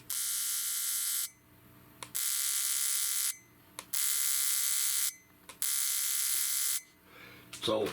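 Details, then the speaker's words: 2004 Chevy 2500HD misfire diagnosis: the original GM fuel injector from cylinder seven is pulsed, giving even second-long bursts of high buzzing with short pauses; the injector works properly. "we have a capability of pulsing this injector so this injector here actually does work"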